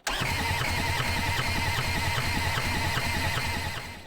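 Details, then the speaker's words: Long-neglected diesel skid steer, glow plugs checked, cranked on 24 volts with a jumper pack: steady starter churn with even compression pulses about three a second but never fires; owner suspects no fuel reaching injectors, likely run without a filter. "i still don't think we're getting fuel down through the injectors i think this machine was ran for a long time with no filter"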